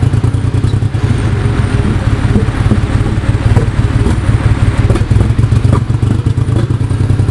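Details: Nissan 240SX S13 with an RB25DET engine: heavy, deep idle with a choppy, uneven pulse and occasional dropped beats, a misfire on one or more cylinders.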